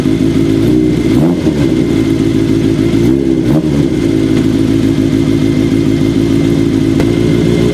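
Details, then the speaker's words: Kawasaki KZ750 four-cylinder idling hot after vacuum leak fixed with new boots, carbs bench-synced then being tuned with manometer: fairly steady idle with slight uneven pulse and small blips; carburetors close but slightly out of sync. "it sounded okay and we're getting there and that's all we have time for today but next week we can finish up syncing up those carbs it's sounding good already it's close"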